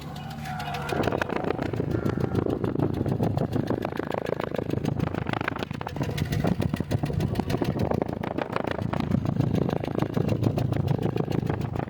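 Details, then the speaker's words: 2007 Honda City four-cylinder with uneven, lumpy idle and recurring stumble; compression test shows cylinder one far lower than the other three from leaking head valves, no electrical fault found. Engine misfire from low compression. "सते cylinder number एक का जो है pressure बहुत ही बाकी तीन cylinder के मुकाबले में बहुत ही कम है तभी जो है मिस फायर का इशू आ रहा है"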